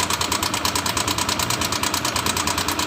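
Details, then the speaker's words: Honda Vario 150 scooter, engine noise began a week ago, at idle: quick, light metallic ticking rattle about three times a second over a steady idle; mechanic suspects cam chain or valve rocker. "Dan analisa saya ini di bagian keteng atau mungkin di bagian pelatuk klep yang mengalami kendala kerusakan."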